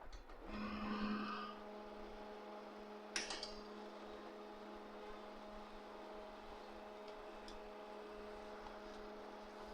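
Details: HP LaserJet M1005 MFP after repair of a loud humming noise at initialization, printing a test page: quiet even hum with a few steady tones and no rattle or buzzing, running normally.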